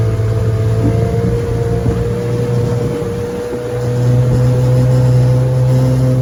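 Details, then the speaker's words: 1968 Evinrude 9.5 HP vintage outboard on a lake test run after repair: steady low two-stroke drone at even pitch with a slight lift near the end; runs smooth and healthy, normal running. "so uh I've been running her she runs great let's give her a pull and see if she'll get started and take off for us"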